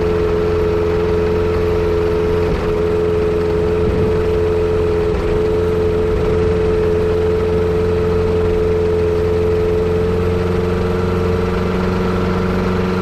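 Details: Yamaha Apex engine fitted to a Kitfox airplane, idling with a slightly uneven, lumpy beat and occasional stumbles, pointing to a misfire. A vacuum leak is suspected but not confirmed.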